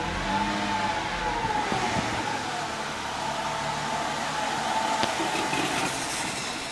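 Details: Mercedes C240 idling after MAF cleaning and light throttle-body cleaning: the idle wanders, stumbles and surges unevenly with no steady beat; the cause was a failed fuel pump.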